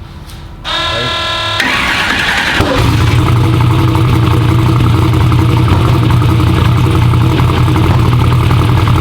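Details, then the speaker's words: V8 first fire-up: starter cranks, engine catches and runs loud and lumpy with an uneven beat, misfiring and popping; cause was two spark plug wires installed backwards. "It was like, we got it to crank up, but it was just like misfiring and popping, and I don't know if you guys saw another video."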